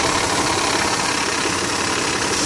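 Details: 2001 Mitsubishi Montero Sport 3.0L 4WD automatic, 225,000 miles, cold start idle recorded from the engine bay: a loose, fast clattering of the timing belt slapping because the tensioner pulley was left disconnected and the hydraulic tensioner failed. It goes away when fully warm.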